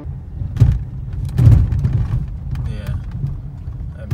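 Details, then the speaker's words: 2005 Mercedes C230 driving over bumps; low road rumble with dull front-wheel clunks; owner believes worn lower control arms cause it, before replacing lower and upper control arms. "so this car has been making some clunking noises on the front wheels I will try to drive it a little bit here to make sure that you hear them another one so I believe that this noise is caused by the lower control arms"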